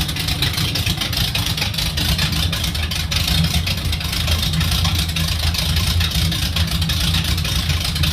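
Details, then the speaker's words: 1980 Jeep CJ5 with a rejetted Holley double-pumper carb, timing set with a timing light, tap-started: it settles into a steady, even idle with a deep, loud exhaust rumble and no misses or knocks; noisy but healthy running. "Now they got a that thing is noisy. He sounds good though. Huh, that's noisy."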